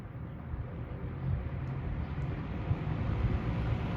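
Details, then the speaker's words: About 50-year-old Lakewood Windsor C-14 box fan, original non-polarized plug, started on low; low steady hum slowly building as it comes up to speed, smooth with no rubbing or rattle; nice startup sound, normal motor startup. "Alright, with the fan now plugged in, we'll start by turning it to low. It does have a very nice startup sound."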